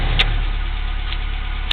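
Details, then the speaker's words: 1987 Toyota 4Runner SR5, 22RE, 5-speed, replacement A/C idle-up VSV: smooth steady idle held slightly high with A/C on, low even hum, no stumble; with A/C switched off it idles down to 750 rpm; normal raised idle. "I'm going to turn it off and let you see it idle down there you go back to 750"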